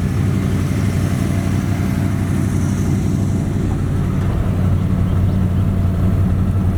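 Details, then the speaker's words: 1972 Dodge D100 with 318 V8, sitting 13 years in a junkyard, first run on starting fluid then fuel from a jug: deep steady V8 burble at idle, slightly loose rhythm but no knocking or misfire; normal idle. "there's no question the engines good so right now let's just see if we can make the thing idle and pull out of here"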